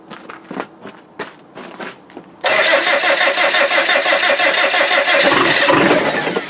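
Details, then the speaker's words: TDI diesel cold start at about -4 °C while cranking amperage is measured with a clamp meter: a few quiet clicks, then it cranks and fires abruptly into a hard, even clatter and keeps running; normal cold start without glow plugs. "wait a minute. She's off."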